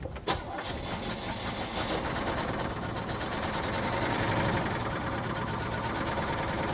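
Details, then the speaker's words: 1968 Chevy Caprice engine, sat 18 years, running on poured-in gas and missing a cylinder or two: catches and settles to a rough idle with a light, fast, uneven ticking; knocking at startup, suspected lifters not pumped up, fading with runs. "I'm hearing a noise I don't like okay that little bit of a knocking sound I think is because the the lifters are not pumped up"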